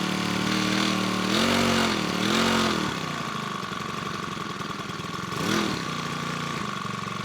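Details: New Makita EBH252U petrol four-stroke brush cutter, warmed up after choke warm-up, started first pull; steady even warm idle with a couple of brief throttle blips, smooth, nothing knocking or hunting; normal idle.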